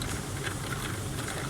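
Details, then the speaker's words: Indesit 7 kg condenser dryer that runs but makes a strange noise: steady low buzzing hum with a rough edge from the condensate pump at the back. "mas eu vou virar a máquina ao contrário porque o barulho vai daqui vendo ali daquela bomba"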